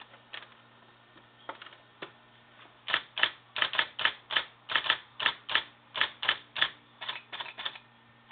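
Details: IBM Selectric I typewriter, 12-pitch, rebuilt with parts from another machine, no ribbon fitted: crisp, uneven key-strike bursts about one a second, then quicker, over a faint motor hum; typing cleanly.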